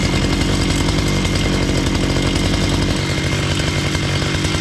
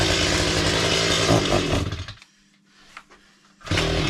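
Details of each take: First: Repaired chainsaw started cold, running without its air filter: it settles into a steady, even two-stroke idle with no stalling or hunting, though it is smoky; the idle problem is fixed. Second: Chainsaw on a cold, snowy day, test-run after repair with a full fuel tank: it screams at full throttle, then falls almost silent for about 1.5 seconds before catching again. It still runs far too lean on the throttle.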